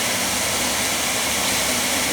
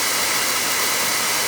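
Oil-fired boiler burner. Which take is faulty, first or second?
second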